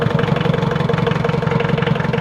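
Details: Mitsubishi 4D56 diesel after timing gear set one tooth advanced to fix hard start: even idle clatter with steady regular firing pulses, no misses or stumbles; normal idle.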